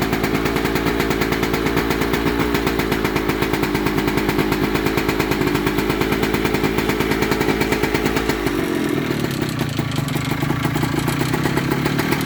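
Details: 1998 Kawasaki KE100 two-stroke cold start after sitting for days: sharp, even rattle keeping pace with the firing from the cylinder/top end at cold idle; cause unknown, owner asks what it is.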